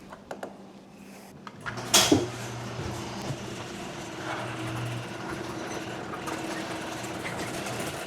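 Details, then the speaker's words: 20-year-old garage door on its opener after fitting new rollers and self-adjusting Green Hinges: clunk at start, then steady low motor hum and soft even rumble, no squeaks; quiet normal operation. "All right, that worked great. And it's not just the rollers that reduce the sound."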